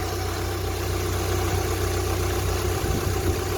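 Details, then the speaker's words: Rover 45 on a cold start after tappet work: smooth, even idle with no top-end ticking. Some rattle from the drive plate remains, expected to quieten; belts okay; quiet tappets at normal idle. "Do you see how quiet the tappets are now I did all that work? All the tappets have gone right down, even on a cold start. They don't make a sound."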